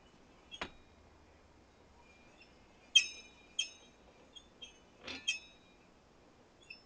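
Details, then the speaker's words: 1943 National walking sprinkler, cast iron with steel gears and bronze bushings, turned by hand before restoration: high, thin squeaks in irregular bursts; the dry gearing has not been greased, oiled or run with water in years. "don't know if you can hear all that squeaking. Obviously, it hasn't been greased, oiled, and therefore hasn't had water through it in a number of years."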